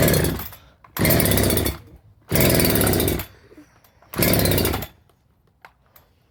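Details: Husqvarna 365 SP chainsaw, old and worn, rebuilt with new piston, rings, cylinder, muffler, carburetor, coil, plug, wire; good blue spark, about 160 psi compression; pull-start bursts catch briefly at high revs then die; owner suspects timing.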